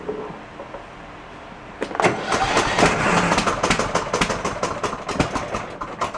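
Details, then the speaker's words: Cub Cadet lawn tractor, Kohler 20 hp single, 565 hours, starting with choke: loud, ragged running popping about four times a second; owner suspects exhaust leak, possibly blown head gasket, valves may need adjusting. "it's a Coler 20 horse single uh I believe it has an exhaust leak it sounds kind of loud or blown head gasket I'm thinking more exhaust leak though just because the way it does run"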